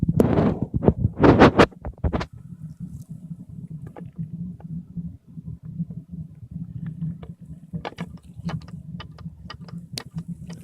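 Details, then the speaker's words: Diaphragm pump feeding waste motor oil to a propane-assisted burner, after bleeding all air out: low steady hum with soft, fairly regular ticks from the diaphragm stroking; pumping normally with no airlock. "so now with all the air out uh it's it should pump great"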